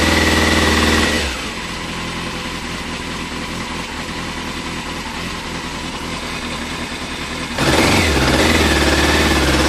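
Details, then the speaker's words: 2000 Yamaha Fazer 600 motorcycle: revs climb okay when throttle is tickled, but at wide open throttle revs drop and engine goes flat and rough for seconds before picking up; owner suspects fuel delivery, likely fuel pump or pump relay; gravity feed test inconclusive. "if I tickle a throttle it does [Music] this it more or less climbs and the rev's okay but if you need to whack it open for overtaking or just wide open throttle this is problem"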